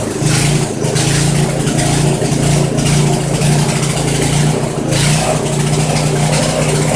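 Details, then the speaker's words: Poulan 900 rototiller single-cylinder engine, restarted after checking oil, suspected governor issue: revs hard but note surges and dips every second or so, never settling; owner decides carburetor needs rebuild or cleaning. "yeah we definitely got to rebuild the carburetor on this little fella at least take it apart clean it and reassemble it"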